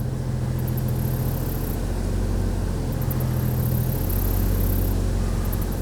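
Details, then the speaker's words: 2002 Chevy Trailblazer after swapping the cylinder 3 coil to cylinder 2 to chase a cylinder 3 misfire: petrol engine idles with low steady even rumble, no skips, no check engine light, zero misfires. "well that's the best that sounded in a long time it's running smooth huh no check engine light"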